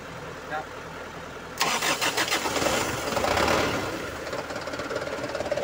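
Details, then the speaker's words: Mitsubishi Canter 125HD 4D34 diesel truck after piston ring replacement (overheated from radiator running dry, No. 4 piston scored), new radiator fitted: quiet, starter burst, catches and settles into steady clattering idle; engine calm, normal start. "hidup dia ya Oke dia udah hidup ya mesinnya tenang"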